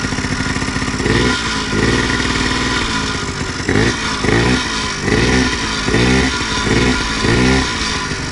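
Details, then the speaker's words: Homebuilt prototype scooter/moped small two-stroke, fuelled from a temporary tank via hose after a wiring-harness fault was fixed, catches and revs in short even blips with crisp buzzy exhaust; running normally, carb and tank still to sort. "Bon, en même temps je suis branché en direct, mais voilà, ça démarre et qui se cache là, qui fait du"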